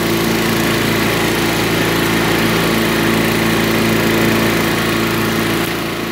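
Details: Curbside-find Craftsman lawn vacuum shredder, small single-cylinder engine with a cleaned carburetor and new spark plug, fired up and runs at a steady fast buzz with no misses or knocks; it burns a lot of oil.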